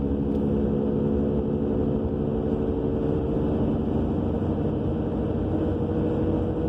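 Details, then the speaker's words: 2000 Subaru Legacy AWD cruising, heard in-cabin: steady droning roar with a low hum from the rear, appearing after new brakes, calipers and rotors; wheel bearing also new; cause unknown. "so I'm driving a 2000 Subaru Legacy. We have this mystery roaring noise coming from the back end."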